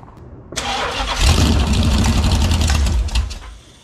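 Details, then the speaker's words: Ex-motorhome Mopar 440 big-block V8, "ran when parked", on a dolly with headers, old carburetor and no cooling system; fires after a short crank, runs loud and choppy about three seconds, then shut off. It runs, wanting to idle. "yeah she wanted to idle but there is no Cooling in it right now so we're definitely not gonna tempt the fates and run that any longer"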